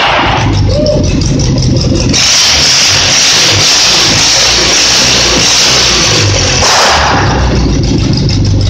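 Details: Simplicity engine, previously popping and misfiring when revved, now back together: revs up and holds a steady even roar, then drops back to a smooth idle with no misfire stumble; only pops off throttle; normal running.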